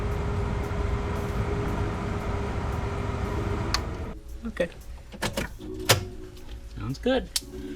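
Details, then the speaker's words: 2006 Volvo XC90, 219,000 miles, new blower motor and resistor tested before final mounting: steady, even fan whir with a faint constant tone and no rattle, then it stops; the old motor rattled, the new one runs normally. "so what it used to do is like a little little rattle type sound that's really good news that's awesome"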